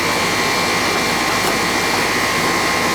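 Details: AC outdoor unit with a Bristol compressor on a no-cooling service call, now running: a steady rush of air with an even hum and no rattles or surging. The condenser fan and compressor are running normally.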